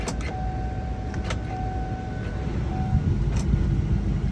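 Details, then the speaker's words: 2007 Chevrolet Tahoe with a full battery, door lock actuator cycled over and over: repeated short buzzing lock-unlock strokes sounding sluggish and underpowered; passenger and rear driver side locks not working; weak actuator suspected. "That one has been working, but now I'm doing it over and over, it's like it doesn't have enough power."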